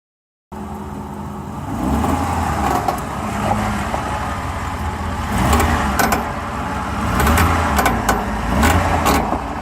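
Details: 2008 Ford F150 FX4 makes irregular creaks and sharp snaps over a low vehicle rumble, heard since a recent transmission change; cause unknown, owner asking for diagnosis.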